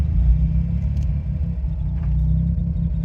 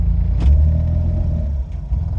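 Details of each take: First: Autozam AZ-1/Suzuki Cara with a Keisport plug-and-play ECU, warmed up, coming to a stop in third with the clutch in: a low, even rumble; idle holds steady. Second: Autozam AZ-1/Suzuki Cara small turbo kei engine on a Keisport plug-and-play ECU, cold start at about 40-44°F after sitting over a week: idles well at first, but after a throttle jab the drone swells and sags with clicking at the rear, idle hunting.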